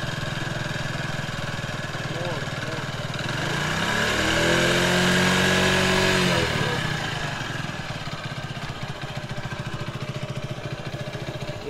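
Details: Old-model Hero Honda Passion started after an engine rebuild for a gear-shifting problem, few parts changed: even single-cylinder putter at about 3.5 beats a second, no knocks, with all four gears then shifting correctly. Normal idle.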